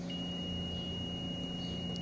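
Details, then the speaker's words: Car that only clicks and won't start, checking fuses with a multimeter continuity test: steady high beep holds unbroken on probe contact, so the fuse has continuity and is good; no beep would mean a bad fuse. "al tocar debes de escuchar el sonido Ahí está si no está bien no se va a escuchar"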